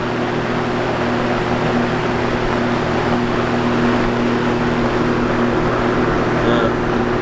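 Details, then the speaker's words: Vintage Toastmaster box fan on high: loud steady fan roar with a buzzing hum over it as the black metal grilles vibrate and rattle, enough to overload the microphone. "See the fan is shaking quite a bit. Black grills are also vibrating. Maybe a little bit too much."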